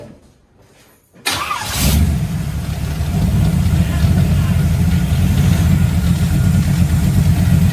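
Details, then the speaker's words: Monte Carlo with a 350 Chevy V8 hopped up with Holley parts, after choke and distributor adjustments, exhaust still untouched: it starts and settles into a steady, deep, even rumble with no misses or knocks. "It is running so much better. I'm getting ready to start it up for you. It sounds great."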